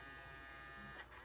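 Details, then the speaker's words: FurReal Friends Squawkers McCaw parrot toy, main gearbox partly disassembled with drive belt removed; small gear motor spins freely unloaded, faint thin steady buzz with no gear chatter, doing nothing. "Cuz right now if you turn it on you you'll hear the motor spin. It won't do anything."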